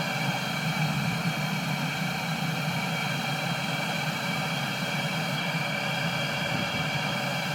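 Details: Cheap Chinese 12V diesel heater bought on eBay, running after air bubbles were purged from the pump and fuel line: even, unchanging fan and burner roar with no surging or sputter; running smoothly.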